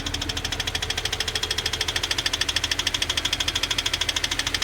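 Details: Subaru FA20 engine (FR-S/BRZ/86) idling with rapid, even knocking over the engine: rod knock from a worn rod bearing, contrasted with a healthy FA20.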